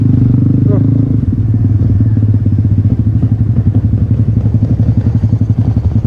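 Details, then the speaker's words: 1974 Triumph Bonneville T140V 750cc twin on a ride: a lumpy, limping idle at about four uneven thumps a second. Only one cylinder is firing because of a dead spark plug. "Jadi ini yang hidup hanya menggunakan satu busi suaranya timpang guys"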